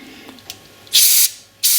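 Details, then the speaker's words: Brake bleed nipple being checked: two sharp half-second hisses of air pass freely through it with nothing choking them; passage clear. "definitely coming out the top too definitely right so without a doubt that is clear"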